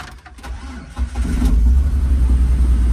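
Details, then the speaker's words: Copart auction vehicle with a dead battery, started on a jump pack: a brief crank, then it catches at once and settles into a steady, even low idle; normal start, though a slight exhaust leak is suspected, possibly from the accident. "oh yeah started right up [Music] start it right up"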